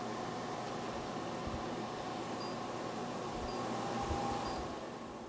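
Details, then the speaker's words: New shop air filtration unit running on auto at low speed: a soft, steady airy whoosh and faint even hum with no rattles or ticks; normal. "and that's on low so I got to figure out how to set the auto so it only comes on when the sensor reads dust"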